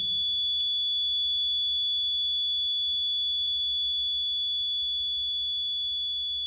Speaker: Now you can see our bridge is unbalanced, so the current flowing this null detector. Okay, so we can see we can observe or we can hear this buzzing sound.